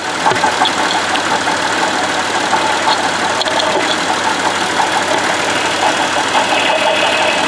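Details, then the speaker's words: Buick Lucerne at idle, heard at front pulleys; steady gritty whirr from the water pump, which has play in its bearing, while the alternator and idler pulley sound normal; worn water pump bearing. "there is play in this water pump bearing bearing there okay hopefully you can kind of hear that talking sound there"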